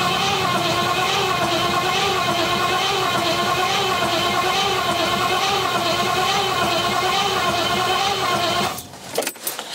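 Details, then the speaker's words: Rover P6 with 4.6 V8 on a new battery, start attempt after fuel system connected: steady starter whine with a slow pulse of about three beats a second, stops without firing before using easy start; crank, no start. "okay not much is happening yet let's give a good blast of easy start"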